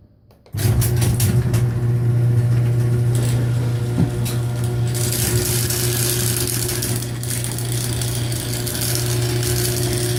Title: Our garage door opening & closing, metal piece sliding making noise against chain & door jumping